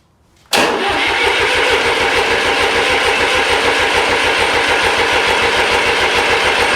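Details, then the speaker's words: Restored 1993 Lombardini diesel generator cranked while injectors are bled: steady cranking about three and a half compressions a second, never catches; no diesel at injectors. "all three of those diesel pipes it actually left undone so that was the problem while we wasn't getting any diesel up at this end"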